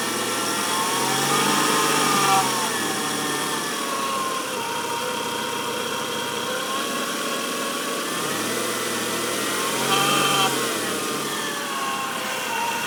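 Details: 1994 Nissan Altima: thin whirring tone rising and falling with throttle blips over even running, most noticeable around 2000 rpm, same warm or cold; alternator replaced without fixing it, cause unknown; engine noise.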